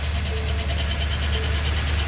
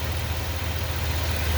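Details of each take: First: 2020 Ford F250 Super Duty 7.3 Godzilla, gen-1 10-speed, 850 miles: rough gritty grinding at idle only in drive with the brake held, gone on throttle; defective transmission. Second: 2020 Ford F250 Super Duty 7.3 with 10-speed automatic, idling in park: steady, even low rumble with no grinding or whine; the transmission noise heard in drive with brake on is absent.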